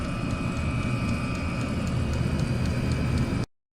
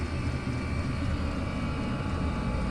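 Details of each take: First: Chinese diesel air heater in a garage: steady fan roar and whine with faint regular ticking and clicking from the rear-mounted fuel dosing pump, before fitting an ultra-quiet replacement pump. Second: Chinese diesel heater after its ticking fuel pump was replaced with an ultra-quiet pump on a rubber mounting: a steady low roar from the blower motor with no pump ticking, much quieter than before.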